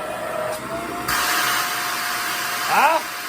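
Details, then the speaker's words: Shark vacuum cleaner, suction diagnosis: steady motor whine rises to a higher, harder pitch when the suction is closed off. That extra pitch indicates a clog; this section tested clear. "you have the regular sound like this [Applause] and the moment the suction is closed off it's going to have an additional pitch"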